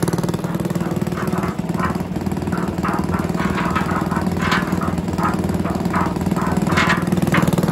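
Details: Villiers 10 petrol engine on old Barford cement mixer, first start: steady even single-cylinder putter at constant speed, no misses or knocks; starts easily, runs well, though compression not excellent and fuel seems to run through even with tap off.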